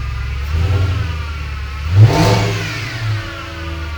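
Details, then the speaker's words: Audi S6 project, first start after engine reassembly and vacuum lines finished: catches and settles, one clean rev rising and falling evenly over faint serpentine belt whine; engine healthy. "the car was running again and despite all of my worrying it sounded healthy sure there's some sort of a wh from the serpentine belt but the engine itself works"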